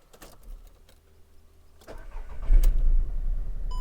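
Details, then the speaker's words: VW Polo 3-cylinder with cylinder 2 injector unplugged to induce a misfire, exhaust pressure transducer and PicoScope fitted: engine cranks, catches and settles into an uneven, lumpy idle with a dropped beat; scope shows the misfire pulses before warm-up. "we go, so we've got a misfire. So got a lot of pulses here, that's doing that."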